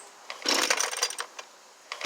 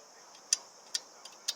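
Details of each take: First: Husqvarna 329L two-stroke trimmer after recoil starter rope repair, started with choke and primer: catches after a couple of pulls into a high buzz that sounds a touch off; carburetor likely needs slight tuning. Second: Husqvarna 329L string trimmer with stuck recoil rope, cover off: four crisp, light clicks as the starter pawls spring back normally; pawls fine, rope tangled under the assist spring instead.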